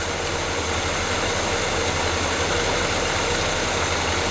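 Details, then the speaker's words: GMC 3500 long-bed pickup with Quadrajet carburetor, after fitting the correct carburetor base plate: even, settled V8 idle rumble with slight hiss, no stumbling or shaking; engine now idles properly. "oh yeah she's good now it add maybe a hair it seems happy right there that's a solid running motor right there"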